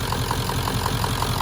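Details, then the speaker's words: 1996 Ford F250 7.3 diesel idling with AC on during refrigerant recharge: steady, even idle with light clatter about five times a second under the AC load; sounds healthy. "You won't be able to hear what I'm saying, and the truck is running."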